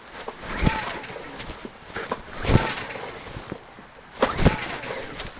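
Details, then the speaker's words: Honda EU10i (EU1000i-like) inverter generator, switch on, choke on: three recoil pulls about two seconds apart, each a short whirr dying away with no firing stroke; cranks but won't start. "This one won't start. You can just go yank, yank, yank on the cord and nothing happens."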